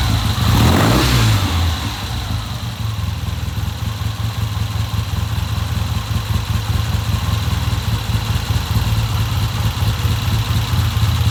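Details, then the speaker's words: 1970 Triumph motorcycle with a hard-starting history, just fitted with a new Premier carburetor: starts with a quick burst, then settles into a steady, even low thumping idle with no misses; healthy, normal idle. "Okay, that sounds pretty good. I'm gonna leave it like that, and I'm gonna let it sit here for a while."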